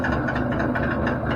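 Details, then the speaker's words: NuTone bathroom exhaust fan no longer clearing steam: loud steady drone with coarse shaking rattle throughout, sounding like it will shake off the ceiling; worn blower wheel loose and wobbling on shaft; motor to be replaced. "I mean, that's horrible. The thing sounds like it's going to shake right off of my ceiling."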